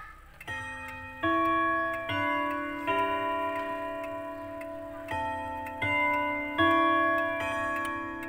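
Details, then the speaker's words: Antique pendulum wall clock during gong (strike) setting: hands turned slowly past the hour, clear even sustained gong strikes counted to 10, then hour hand set to match; strike train working normally. "Nah, kan 10 kali. Nah, kita sudah tahu gongnya 10 kali, maka kita putar jarum pendeknya."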